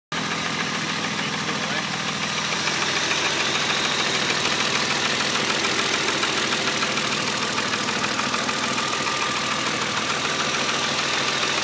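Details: BMW E36 M3 3.0 S50 petrol six at low revs: steady light ticking about three a second over a hissy note, knocking from around the inlet manifold; cause unknown.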